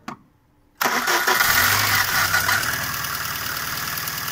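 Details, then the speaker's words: VAZ 2114 petrol engine after throttle body and idle valve cleaning, cracked hose replaced, plugs and new filter checked (earlier stalling and hunting idle): starts almost instantly, brief flare, then smooth, stable cold idle. "ну принципе вот так то так ты работает слышите видите что устойчиво можно сказать"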